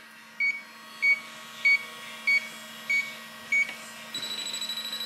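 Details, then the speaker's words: Transcooler 25 cooler box with BD220CL compressor, out of refrigerant: electronic leak detector beeps at about 0.6 s intervals, then fast ticking alarm at a hole the customer drilled into the evaporator. "Und hier habe ich ein Lecksuchgerät. Und wenn ich jetzt hier alles absuche, ihr hört das vielleicht, wie das pfeift. Und wenn ich hier an dieses Loch gehe, ja, ich bin jetzt ruhig. Fängt das Teil an zu blinken."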